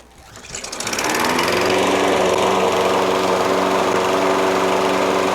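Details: Toro Recycler self-propelled mower with a Kohler XT675 6.75 single-cylinder engine, running with its factory metallic flywheel brake pad, which grounds the magneto as the ignition kill. It starts within a second and runs steadily and cleanly, no misfire.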